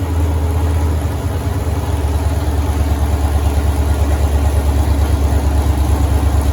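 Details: 1983 Ford Mustang with rebuilt 5.3 LS V8 from a 2002 Avalanche, upgraded cam, 4L60E, first start: deep lumpy burble settling into a steady idle with even cam lope, no knocks; everything sounds good, normal idle.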